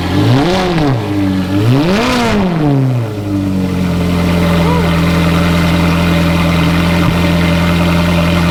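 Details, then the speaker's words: Ferrari 430 Scuderia, cold, after Capristo headers installed, burning in: V8 blipped twice, pitch sweeping cleanly, then steady smooth idle; very nice refined sound, normal revving. "uh wow that sounds really it's like it's got a very nice refined sound to it sounds"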